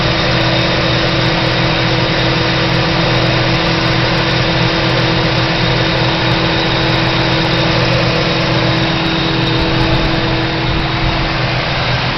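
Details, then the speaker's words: 1985 Pontiac Trans Am, 305 TPI V8, recently bought, mass airflow sensor missing: idles with a steady low drone and uneven loping beats, running a little rough; also hesitates on light throttle below 1500 rpm. Owner suspects the missing MAF. "It runs decent, however, without the I fear without the mass airflow sensor, it's not running right. It runs a little rough."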